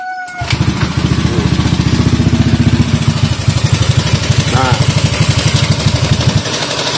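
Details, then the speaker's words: Honda Scoopy bored-up scooter, reassembled by owner with new rings, hard starting: idles rough and lumpy with a loose, clattery noise. "ini udah hidup dan sekarang mesinnya itu berisik kayak ada yang kendor gitu"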